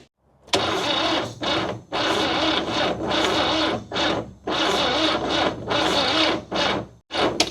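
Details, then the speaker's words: 1969 Toyota Corona parked 33 years, spark confirmed, cranking: starter cranks in uneven labouring bursts and stops, with no firing; rough crank, no start. "Boy, that sounds rough. It may not even go."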